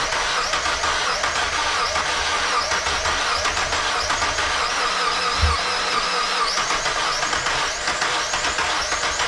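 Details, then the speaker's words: Mazda Miata, first start after valve seals, timing belt, pulleys, water pump and serpentine belts were replaced: catches with a harsh hissing rush and one dull thump, possibly a knock; owner feared a dead cylinder or bent rod, belt intact, cause unclear. "the belt's still together so it's not the belt almost sounds like i just bent the rod kind of sound but hopefully not"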